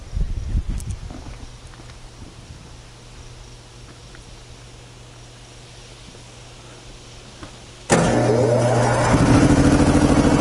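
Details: 25 hp air compressor run on single phase, 120-gallon tank, about 80 CFM, cutting in around 115 psi and unloading at 145–150 psi: motor kicks on abruptly into a strong, steady run with no knocking, normal under load.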